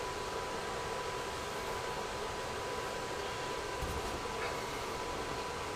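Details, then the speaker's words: RV furnace controlled by a Dometic digital thermostat, AC fan now off: steady, even blower hush with a faint constant tone and no knocks; furnace running normally, and it runs on briefly after being switched off. "this to off the furnace will continue to run for a little bit before it shuts off and"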